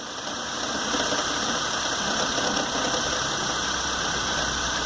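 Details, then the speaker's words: Peugeot 206, just started and still cold, stored code for misfires in multiple cylinders, MAP reading seems off: ragged, hissy idle with uneven stumbling beats; multiple-cylinder misfire, cause still being evaluated. "Avaria falhas de ignição em vários cilindros, tá? Então vamos avaliar isso aí."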